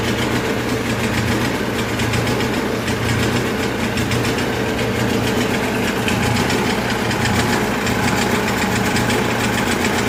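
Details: 1980s Kohler 7000 W gasoline generator in 1963 GM PD4106 bus conversion, no load, choke halfway to fully on: steady, slightly uneven lumpy beat under dull drone; running super rich from choke; later tune-up (plugs, points) improved running.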